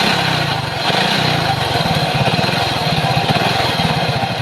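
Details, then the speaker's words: Motorcycle with sidecar running a 32-tooth sprocket: loud engine with a harsh, rapid rattling knock on every revolution and rough clatter, loudest at the engine side case, customer says it slips; worn crankshaft side bearing. "Dito yung nanggagaling yung napakapangit na tunog ng kanyang makina."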